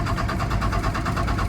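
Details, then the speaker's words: First-gen Dodge Ram D250 with 5.9L 12-valve Cummins diesel, sat years in a salvage yard, fuel primed, clutch in neutral: steady even cranking about eight compressions a second with no firing; wanting to start but not getting fuel, lift pump to be swapped. "Yeah, it's just shaking. It's wanting to start. It's just not getting fuel."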